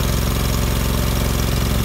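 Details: 2000 Allmand TLB-25 mini backhoe, 25 hp Kohler twin-cylinder gas engine, after head gasket replacement and electric fuel pump fitted: even, deep thumping idle with steady rhythm, no knocks or misses; normal idle.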